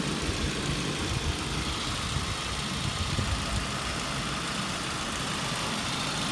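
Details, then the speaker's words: 2003 Saab 9-5 2.3T at steady idle: even hum with light, quick ticking from the top end, normal valve train noise; phone mic exaggerates it, louder than in person; these engines sound more ticky than average. "My phone does pick up the small engine noise, so you'll hear the valve train noise. It'll be like louder than it is in person."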